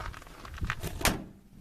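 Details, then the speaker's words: 1959 Ford F100 door after self-adhesive duct insulation applied inside door and panel: single firm dull thud with no tinny ring, much improved over the earlier clang. "no nice okay that sounds really good that's a big Improvement"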